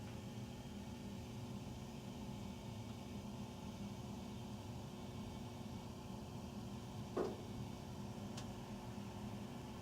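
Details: Very loud furnace running at night, recorded through the main duct on three levels (master closet, powder room, utility room): steady low droning hum with even air rush, faint water dripping in between; cause unknown.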